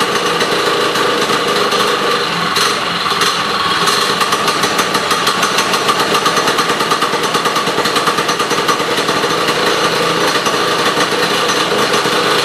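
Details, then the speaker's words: Sno Jet snowmobile two-stroke, now key-started and fed from its own tank via new fuel line and filter: crisp rapid buzz with fast even firing that briefly lifts with throttle; runs cleanly, throttle works. "throttle works good yeah it's a runner"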